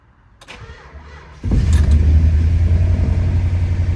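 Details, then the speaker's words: 1962 Chrysler 300 Sport V8, recently bought after sitting 15 years, cold start in the morning after a few pumps of the gas pedal: short crank, catches at once and settles into a steady, even, deep idle with no misses or knocks. "Just like that. And that is a cold start."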